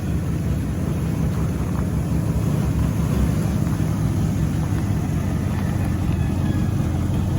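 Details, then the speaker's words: 1970 Ford F-100 Stepside pickup, old motor fired up: deep, even V8 rumble with a smooth steady beat, no ticking or knocking; quiet, healthy running. "I think he's a great old motor really good motor that's quiet it is this is super fun this is great as motor"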